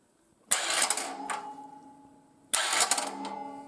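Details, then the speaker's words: 10-year-old mobile welding generator left outside uncovered for years: two short starter bursts whir and fade without a steady crank. The starter is skipping on a bald spot in the ring gear. "she's just got a bald spot in the ring"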